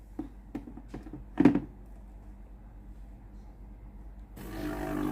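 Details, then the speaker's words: Philips PSG8040 steam iron after board repair: light clicks, then a steady buzzing drone as the water pump runs normally while the iron heats. "le bruit de la pompe à eau qui fonctionne."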